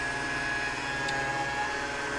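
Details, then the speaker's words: LG front-load washer-dryer with a jury-rigged drain pump on a manual arcade-button switch, draining at the 15-minute mark: steady, even motor hum with a constant high whine and no rattle or surging. The pump runs normally. "as you can see I'm draining it now because [Laughter] once it hits 15 minutes that means it's time to drain"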